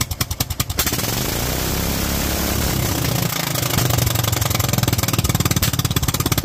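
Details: Kohler single-cylinder engine with Honda carburetor, .024 idle jet and 47 main jet, set up for cold-weather use: steady, even firing that picks up and holds smoothly with no misses, carburetion right; 45 gave slightly more kick.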